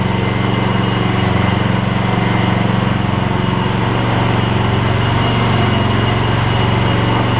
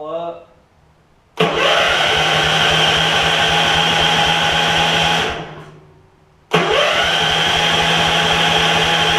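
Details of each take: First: Gravely 16 Professional walk-behind mower after sitting a while and a little carb adjustment: small single-cylinder thumps at even, steady beat, no misses or surging; runs like a top. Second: Gravely 16 Professional walk-behind mower, 578 hours, fresh gas, oil good, in neutral: two long bursts of even, fast cranking with no catch; turns over but won't start, cause not yet known.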